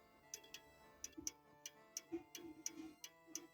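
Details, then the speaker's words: French antique table clock after shifting the movement to adjust beat, heard through a funnel: crisp tick-tock near 87 beats a minute settling into evenly spaced beats, now in beat. "yes this sounds good"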